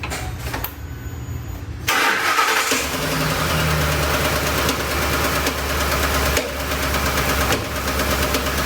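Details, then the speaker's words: 2007 Ford Expedition 5.4L 3-valve, no codes stored. It starts to a rough, lumpy idle with an occasional sharp pop like popcorn, loud and rhythmic at the top of the engine, seemingly one cylinder. Worn exhaust cam lobe with dropped roller follower. "it's got a little bit of a a rough idle but what you hear is that the popping noise sounds like popcorn popping but just once in a while"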